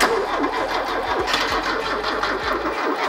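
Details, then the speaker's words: Porsche 924 project car, abandoned in a field about 20 years and off the road for at least 18, cranks slowly in uneven sagging strokes without firing as the battery runs out of charge; jump-start planned. "oh I think we're losing juice we're losing juice we're battery we'll get the jumper and we'll double hump it"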